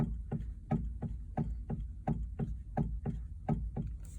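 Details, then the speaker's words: 2020+ Chevrolet Silverado: dull low clunks about 85 a minute as the steering wheel is rocked, also felt over bumps while turning and at highway speed; knock persisted after dealer replaced both intermediate steering shafts, so another cause. "ll right guys so i did some uh r d trying to figure out what the steering wheel shake noise was or is whether it's when you're turning and going over a bump"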